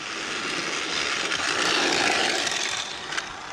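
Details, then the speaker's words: Arrma Vorteks V2 RC truck while driving: high gritty rasp under the motor's whir rises and falls with speed; owner thought it might be the front differential; motor bearing grinding. "oh something sounds bad [Applause] something sounds real bad what is that noise"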